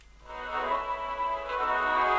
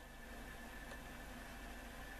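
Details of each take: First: Roberts RT22 portable radio after replacing a failed resistor with a 3.3 (no 3.9 available), set run outside its case on battery: clean steady organ music on FM, no hiss or dropouts; normal FM reception restored; fault not cured by capacitor changing. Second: Roberts RT22 radio on VHF/FM: only a faint even hiss, a brief trace of audio then nothing; long and medium wave work, fault not cured by capacitor changes; finding: FM reception dead, hiss only.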